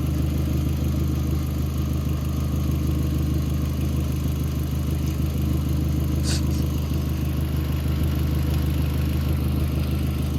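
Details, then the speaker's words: MK4 Volkswagen GTI after camshaft/crankshaft sensor replacement and ECU swap: started right up, smooth even idle with steady low hum, no knocks, misses or hunting; running good. "so it's running good now it started right up guys no problem"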